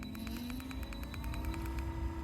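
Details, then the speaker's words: Trolling motor on a 2021 Carolina Skiff 21LS, 24 V battery (25.6 V) via newly installed Battery Tender plug, deployed and run at full power (10): steady electric hum, faint ticking, runs smoothly. "So now the trolling motor's on, it's down, it's deployed."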